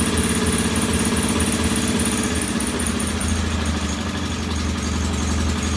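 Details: Norton P11 vintage British twin at first kick-start after a full carburettor strip and fresh gas: uneven, lumpy idle whose beat shifts and won't settle; one pilot jet isn't following adjustment like the other side's, to be cleaned once more.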